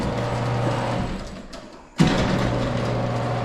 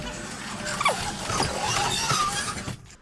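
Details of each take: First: Garage door opener during service call, dials turned up: steady low motor hum cuts out briefly then restarts smoothly, no grinding or straining; opener works normally. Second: Heavy garage door with two hinges and long rollers, bent head plate: short squeaks and scraping chirps as the door moves, coming from a cable drum tilting outward; garage door cable drum bearing noise.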